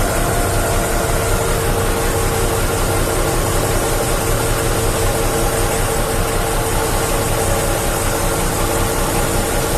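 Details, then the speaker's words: Hino Vector tronton dump truck, PTO hydraulic pump under the truck driving the hoist ram: steady, even diesel drone at raised revs with a constant pump hum as the bed lifts; hoist operating normally. "Tuh, hidroliknya yang boomnya itu yang bikin dia ngangkat. Nah, itu kopelnya, pompanya yang di bawah itu."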